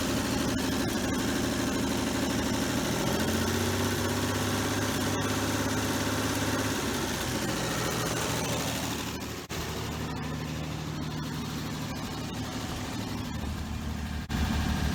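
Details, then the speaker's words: 1966 Dodge Dart GT, Slant Six 225, cold start after chasing a battery-charging fault (battery, alternator or voltage regulator suspected): steady, even idle with smooth low rumble, no knocks or misses, now charging; normal idle after fix. "A cold start, by the way. Look at that, baby. We're charging until we fall off."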